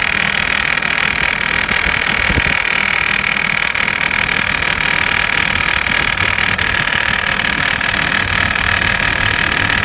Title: 2006 Hummer h3, rattling noise after replace serpentine belt